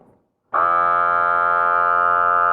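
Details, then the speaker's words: Small 4W rechargeable lithium-battery automatic balcony irrigator pump, running without water or tubes attached. A steady high buzzing whine as it strains; said to be very quiet once the tubes are connected. Pump dry running noise. "now you hear it very noisy because the engine strains a little while we try to use it without water but when you attach the tubes i is also very quiet"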